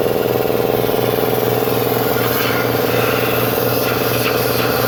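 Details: New Industrial Air IL1682066 two-cylinder belt-driven compressor, 110/220V motor, on 12-gauge extension cord, first run on auto: even pumping beat around two and a half per second over steady motor hum; smooth, normal running.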